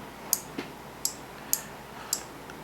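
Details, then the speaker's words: Breadboard dark-activated streetlight circuit, LDR shaded so the transistor biases and energizes the relay; crisp relay clicks at uneven half-second gaps over quiet background show normal switching. "you can hear the clicks the clicking sound it shows that once the once there is Shadow over the in the ldr the the transistor is bias and the relay is energized"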